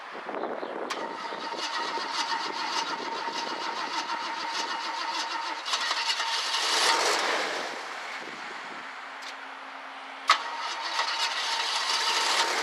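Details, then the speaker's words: 1965 Ford Galaxie 500 project car, five gallons in the tank and fuel poured into the carburetor; owner suspects the fuel pump isn't delivering enough fuel. It cranks and catches unevenly, with a ragged, faltering run and bursts of revving: hard starting. "basically I don't think there's enough fuel coming out of the fuel pump I think we need to get a new feel pump"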